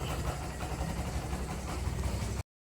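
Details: Barako 175 single-cylinder idling after carburetor float valve seat replaced, carb tuned, high-tension wire extended, new spark plug cap, valve clearance and decompression adjusted; steady even low thump with no misses, knocks or ticks, starts one click even cold: normal idle.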